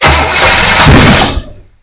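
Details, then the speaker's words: 1966 Pontiac Parisienne just fitted with Edelbrock 4-barrel carburetor and intake and HEI distributor, cranking: harsh loud spitting backfire through the carburetor, no start; spark and timing checked as right, problem later traced to electrical faults rather than fuel. ">> Whoa. Yeah. >> Fourth of July all over. >> Oh, there's spark. It's right. Timing's right. But why is it not firing?"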